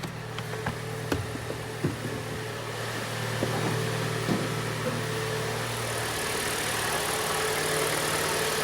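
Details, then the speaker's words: 2014 Hyundai ix35, G4NA engine, 87,000 km, previously knocking with piston scuffing and heavy carbon, after rebuild: first start with oil pressure up, heard from outside; steady, even idle with no knocking or ticking, before warm-up to operating temperature. "пробуем давление пошло машина заработала год у нас 14 Сейчас будем прогревать до рабочей температуры"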